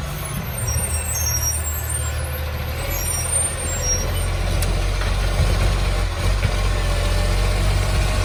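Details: City of Joondalup green waste truck SL070 idling: heavy diesel with deep loud ragged roar and hiss of air brakes; massive exhaust leak.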